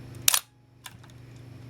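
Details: Minolta SRT 200 35mm film camera body, shutter fired at 1/250 second: one crisp, sharp snap followed by lighter mechanism clicks, clean quick release with no drag; shutter working properly, camera in quite good condition.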